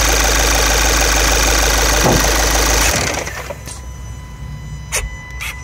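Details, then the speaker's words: VW TDI diesel with plastic intake manifold, after a quick fix for P2015 worn throttle-flap stoppers using a bolted-on M6 part: even, steady clatter near four beats per second with no misses. Normal idle after repair. "part is mounted with the m6 bolt you see on top you can hear it working again"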